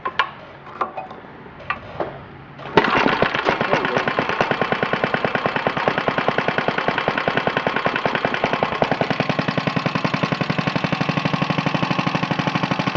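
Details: 1950 Briggs & Stratton model 6-S single-cylinder, made August 1950, lightly used, new spark plug, clamped to a rolling table: slow, even pops at very low idle, steady and unlabored; runs like new.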